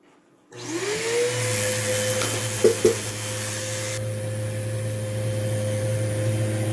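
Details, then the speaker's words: Vacuum possibly running on low on a bare-floor setting, caked with dirt and smelling like burning; the motor spins up to a steady, strained hum with a couple of debris knocks and choked airflow, from a clogged airflow path. "let's see is that clogged of course some people some people are going to come oh that is clogged look at that ew yuck"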